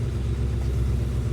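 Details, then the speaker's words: 1966 Ford Mustang convertible V8 warming at idle, about 90 seconds after cold start, temp gauge moving: steady low even burble, no ticking or stumbling; normal warm-up idle. "so going let her idle a couple minutes get up the temp and away we go yay exciting all right temp gauge is already moving been running about 90 seconds getting it going"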